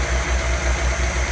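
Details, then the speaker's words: Frame-off Ford Thunderbird restoration, first test fire of the fresh carbureted V8 on the bare chassis, with the coil hot-wired and fuel hanging overhead: a deep, even throb with no misses or knocks. Healthy, normal idle. "So I'm going to go ahead and turn this switch on. Gives us power to our ignition, and with this button I will crank the engine and let's take a listen. Yep. That's what you want to hear."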